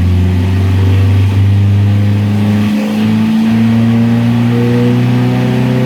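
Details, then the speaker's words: 1970 Opel GT restored engine, first full run, ignition timing not yet set, idling about 750 rpm: revs climb smoothly with an even tone while the ammeter shows charging and oil pressure is good, then settle cleanly to a stable idle; normal. "Nice clean back off. Nice stable idle. We have yet to do anything as far as setting the timing."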